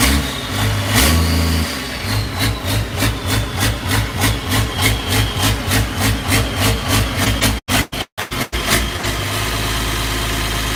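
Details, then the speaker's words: Unmuffled diesel in the Challenger starts, then settles into an uneven, loping idle around three beats a second; starting fluid sprayed around the injectors suggests an injector is leaking and sucking in air, making it hunt. "yeah we found that yesterday or not yesterday maybe was like Saturday believe he was a spraying starting fluid while it was running around these and dictor's see if there was like a air leak or something going on"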